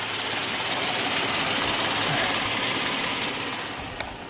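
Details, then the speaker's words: 2005 Kia Sorento 4x4 with an intermittent-then-permanent crank no-start, on jumper cables; fuel pump and crank sensor were already replaced and the dealer blamed the ECM. Fast, even cranking at about 3.5 beats a second never catches and fades as the battery sags; no check engine light. "Definitely crank no start."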